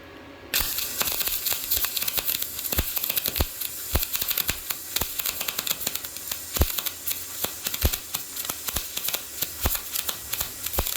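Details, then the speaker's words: YesWelder MIG-205DS MIG welding cleaned-up rusty metal, voltage down from 24 to 22, wire speed raised at same amperage: continuous crisp frying crackle with frequent sharp pops, no gaps; better result. "Seems to throw show bigger sparks than your other welder. Like, not as many, but like bigger to where it would burn you."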